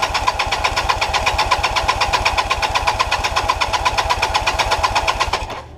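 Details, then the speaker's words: 1988 Kawasaki LTD 440 after carb cleaning, on a non-stock battery and starting fluid: fast even firing about four per second for five seconds, then abrupt cutout; weak spark suspected, plugs and ignition to be checked. "pretty much what it was doing yesterday so I'm gonna check I'm gonna get down here and check this ignition make sure it's sparking"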